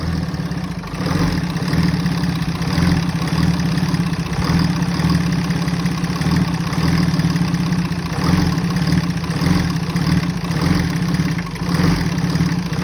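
Low, lumpy idle with an uneven beat and small surges in level; the engine is not running smoothly, cause not clear.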